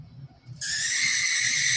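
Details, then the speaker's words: Cheap used HO scale model locomotive running slowly: a sudden, steady, piercing high squeal sets in and holds; the motor is squealing, cause unknown. "so this is probably a bad sign that squealing is awful and it's not moving very fast"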